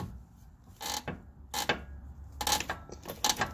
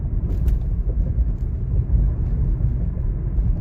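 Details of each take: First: 2016 Toyota Corolla, 73,000 miles, passenger-side lower control arm with the ball joint disconnected, pulled by hand: dry, rubbery creaks from the rear control arm bushing, which also creaks over bumps and turns; fixed by greasing it. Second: 2016 Toyota Corolla, 73,000 miles, driving over bumpy uneven road after greasing front lower control arm rear bushings: only road rumble and tyre thumps, no creak, groan or squeak; fixed.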